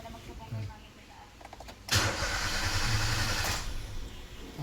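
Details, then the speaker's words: Nissan Almera with HR12 1.2 L engine, immobilizer light steady with ignition on: starter cranks steadily about two seconds but never fires; the immobilizer isn't recognizing the key, which lost its registration. "So kapag ganito ang issue may problema yan sa susi. Nawawala sa registration yung susi."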